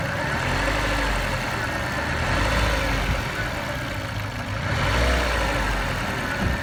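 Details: Mazda 323F BA engine running with a faint irregular tapping over the hum that rises slightly with revs; engine knock, cause not identified.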